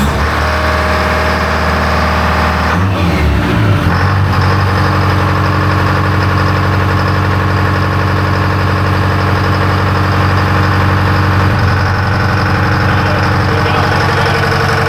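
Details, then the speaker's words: Electronic Detroit Diesel 4-53 two-stroke with a calibration built from scratch: rough start settles into a steady, even idle with a smooth low drone and no knocks; normal idle. "what what is it rev to 25 idle's good"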